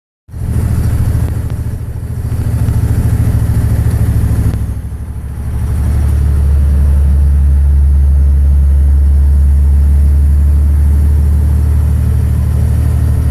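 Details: 2006 Dodge Ram 2500 5.9 24-valve Cummins diesel, rolling coal: heavy clatter with an uneven, lumpy beat around three per second under revs, from bad injectors.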